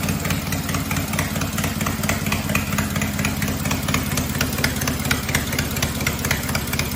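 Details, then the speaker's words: Cub Cadet 482 tractor after an engine swap to a 12.5 hp opposed-twin Briggs, with the carb rebuilt, idling with no mufflers: loud open-exhaust chuffing at a steady idle with an even beat and no misses or knocks. Unmuffled but healthy. "It sounds good. It's loud, but it sounds good."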